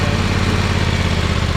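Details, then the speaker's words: John Deere X500 Kawasaki twin after cylinder head replacement (valve guide failure), choke held halfway, owner suspects bad gas: steady low twin putter, even on both cylinders, no misses or knocks; normal healthy running. "it is running on both cylinders there sounds good healthy sounds like C soy"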